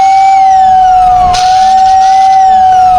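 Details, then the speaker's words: 86-year-old Lionel whistle, after lubricating both shaft ends without cleaning the brushes, relay jumped: a strong, steady whistle holds one clear pitch with sliding overtones and no stutter; it works normally, ready for service. "one genuine 86-year-old whistle, ready for service. I'm impressed."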